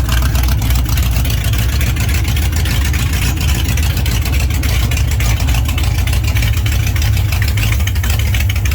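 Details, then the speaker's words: Freshly built 21-stud prewar Ford flathead V8, stock bore and stroke, original Winfield cam, dual-carb Arco intake, custom headers, at first startup: deep, loud, steady burble at an even idle with no knocks or misses. Healthy engine running smoothly. "Because that's just idling."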